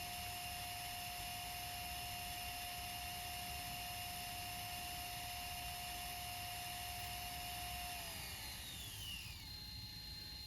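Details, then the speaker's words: JVC GR-DVM90 MiniDV camcorder, rewinding to the start of the tape: steady high whine of the reels that glides smoothly down as the tape reaches its beginning; the transport is healthy and smooth. "The thing I like about it is when it goes towards the beginning, how it sounds. Just listen to this. And I'll let it grind all the way to the beginning and how it slows down."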